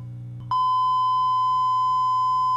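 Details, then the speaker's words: 1962 RCA Sound Cartridge Player after recapping and selenium rectifier replacement: a signal-generator tone is injected into the volume control and plays as a clean, steady tone with a faint hum and no distortion. Both amplifier channels are working. "Let's now try injecting a tone into the amplifiers to see how clear our sound is. I'm going to use this signal generator to input a tone into the volume control for both channels."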